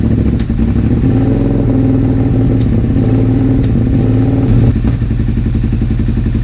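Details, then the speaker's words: 2001 Suzuki SV650S V-twin first start after valve shim adjustment and carburetor work, on choke: uneven, lumpy beat with stumbles, pops and spitting. Vacuum leak from an unplugged carburetor vacuum port whose plug fell off. "I may also have a vacuum leak somewhere. I may have a leak from that. I 100% have a leak."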